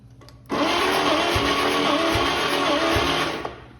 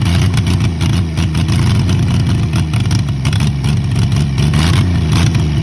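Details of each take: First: Long-dead 80-year-old Chevy 216 inline-six, out of a vehicle for 40+ years, valves working, dry cylinders: steady starter whir bogging and kicking back on each compression stroke about every 0.8 s; low compression, roughly 60 PSI on tested cylinder. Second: Early-1940s Chevy 216 inline-six, out of a vehicle 40+ years, run with ether assist: runs steadily and picks up with throttle blips, no knocking or missing; it started and runs.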